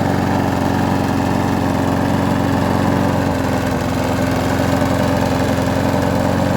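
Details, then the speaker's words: Abandoned Huskee XT650 mower, tied down, run after a part was reseated with its gasket and threads cleaned: steady, even putter at constant speed with no knocks, surges or stumbles; idles smoothly and healthy. "So let's just start it up. I've already got this tied down so I don't have to hold it. Pretty good, actually."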